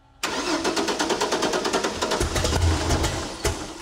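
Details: 1964 Ford flatbed, turbocharged Ford 300 with newly installed FiTech EFI, first start before tuning: fast steady cranking for about two seconds, then it half-catches and stumbles without settling; hard start, EFI still has to learn.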